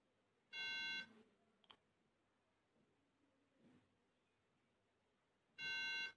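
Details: MacBook that beeps at power-on but shows no screen: a steady high-pitched beep of about half a second repeats roughly every five seconds, a memory fault code.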